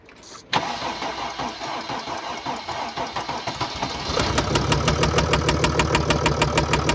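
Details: 2013 Mercedes-Benz E350 4Matic, 2987cc 265PS diesel (engine code NZAAB501), 224,763 km, cold start then idle. A hard, regular rap about three per second sits over the diesel clatter. Bearing damage and a defective injector.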